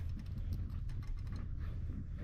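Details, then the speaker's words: Turbocharged E85 2021 Yamaha YZ450F that blew up with a hole in the case, turned over without firing: rapid hard clicky knocks from the bottom end; owner suspects a connecting rod. "looks like a rod to me so um for right now i'm going to actually pull the tank off drain the fuel"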